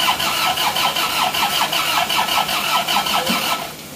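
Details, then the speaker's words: Freshly rebuilt diesel, first start after overheating seizure, fuel not yet primed: slow laboured cranking about 2.5 turns per second, weak catching but no firing; injection pump timing too retarded, to be advanced. "kuat apinya kurang kencang yo satn yo hampir hidup hamp hidup P ya timeng Bos pom terlalu mundur"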